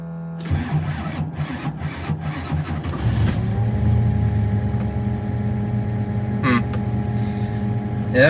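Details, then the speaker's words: 1972 Ford Mustang Mach 1: starter churns unevenly about three seconds before the engine catches and settles to idle; slow hesitant cranking, owner hopes it's the battery, cause unconfirmed. "it still does. Oh well, right now I just hope it's the battery."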